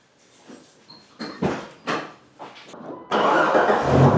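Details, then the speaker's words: Jeep Wrangler TJ 4.0 six, first crank after replacing a distributor with a wiggly bearing, done to chase a recurring misfire: several uneven cranking pulses, then it catches cleanly and settles into a steady run. "well the distributor is in it runs fine"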